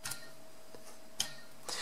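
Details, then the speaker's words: New brushless quad motor spun by hand: faint, steady, even whir with no roughness or shaft play, healthy new bearings. "so you can hear it's smooth there's no naess um I can feel there's no play if I try and wiggle this side to side it feels nice and solid and you can hear that that that sound is is a nice smooth and what new bearing should sound"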